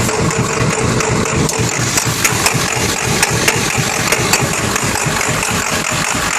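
Idle with an irregular, lumpy beat and occasional sharper ticks and pops poking through; runs rough, cause not evident from sound.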